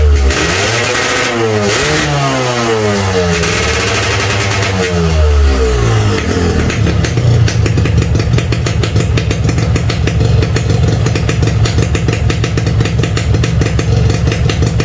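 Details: Standard Yamaha RX King two-stroke at cold start with the choke pulled: it blips up and down a few times, then settles into an even, crackly idle. Hard starting when cold is normal cold behaviour, not a serious fault.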